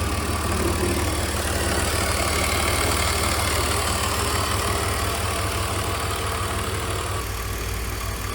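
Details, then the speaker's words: BMW E46 330i M54B30, cold engine at idle, appeared within last 1000 km: loose, uneven rattle about three knocks a second over engine hum, present once idle drops; caused by worn water pump and loose DISA valve. "only is when the engine is cold but only at idle as well listen to this once the idol drops the sound is usually present"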